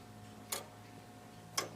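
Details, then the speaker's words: Early crown-wheel clock after topping the crown wheel teeth: crisp single ticks just over a second apart, evenly spaced and matched in strength as each pallet drops and picks up; escapement beating evenly after repair. "And just by listening to it, you can hear that every, when it drops off one paddle and picks up the other, they're all the same."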